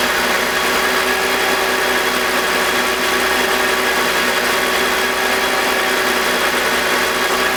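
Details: BMW E46 with M52TUB25 engine at idle, VANOS disconnected: steady even hum, no grinding or scraping, no RPM drop. Owner suspects the VANOS causes a grinding noise, worse at startup, that appears with it connected. Normal idle.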